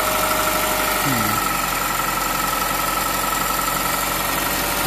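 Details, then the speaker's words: 2008 Honda Civic Hybrid, 185,000 miles, idling after a new Dayco 4PK1600 serpentine belt was fitted, auto tensioner position unchanged: a smooth, steady idle with a faint constant belt-drive tone and no squeal or chirp, and it runs healthy. "Okay, let's go back and take a look. Ooh, it sounds really good. And looks good."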